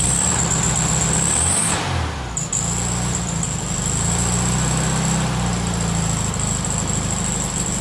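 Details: VW Beetle 1300, reassembled with the carburetor filled with fuel and wiring sorted, test start before timing is set: an uneven, lumpy low idle that sags and nearly dies before catching again; it won't hold idle.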